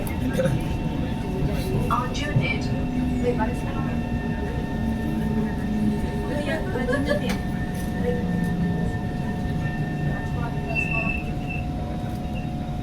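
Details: Kawasaki/Nippon Sharyo KHI C151 train set 089/090, built 1986-1989, recorded at door 2090: continuous high-pitched screeching over the rolling rumble while braking at Aljunied; brake screech.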